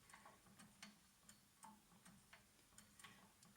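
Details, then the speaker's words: Harrison mill gearbox during disassembly, spindle turned by hand: light, uneven clicks of two or three a second as it detents and springs back; to be examined once the spindle is removed. "yeah can you see the sort of how it just Springs back like that you can hear it clicking as well can't you right so that's something that we can have a look at um when we take the uh the spindle out anyway"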